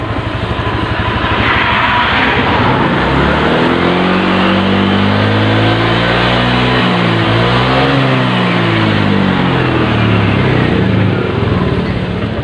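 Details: Honda Vario Techno scooter brought in for not starting, with its battery in use since about 2014. After a new battery, charging shows about 13 V. Small single-cylinder engine revs up and drops back cleanly with no misses or knocks.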